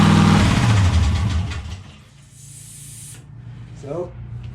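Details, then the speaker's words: Freshly built 7.0 L (427 ci) LSX V8, brief start for a data log: catches with a loud, quick burst and settles briefly before shutting off, firing evenly with no knocks; runs pretty good, idling a bit high. "just like that it starts up sounds like it runs pretty good i only let it run for a few seconds"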